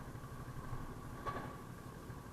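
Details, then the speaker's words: Yamaha NMAX scooter that was hard starting in the morning, now started with one push; quiet, steady low hum ticking over evenly with no stumbling or dying, so it starts and idles normally. "Kanina umaga, hard starting eh. Try natin ngayon kung okay na. So, ngayon, one click."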